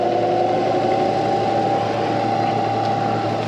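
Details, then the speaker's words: Cheap used CNC knee mill, first power-up, spindle switched to low range (readout shows 170): steady, even, quiet hum with a soft mid tone and no knocking or grinding; the spindle runs really well. "je voulais juste voir s'il s'allumait, donc la broche s'allume vraiment bien, sonne vraiment bien, très choqué"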